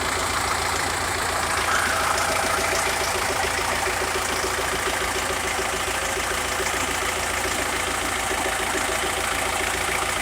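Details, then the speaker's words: SMD tractor diesel, first start after full rebuild with replaced piston group and head from another tractor, running without turbo: steady, even diesel idle clatter, no stumbles or odd knocks; normal idle. "Нарешті ми його завели Слава Богу Він працює не знаю чути не чути Ну от я біля нього стою нормально працюю не знаю як на камеру"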